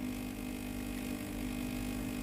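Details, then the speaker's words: Philips GC9622/20 steam iron, plugged in and switched on: the water pump buzzes steadily but delivers no water from the tank into the boiler, so no steam comes out; the pump is faulty and gets replaced. "แต่ตัวนี้นะครับผมปั๊มน้ำสูบน้ำแต่น้ำไม่เข้าในส่วนของตัวหม้อต้มนะครับไม่มีน้ำออกมาเลยครับ"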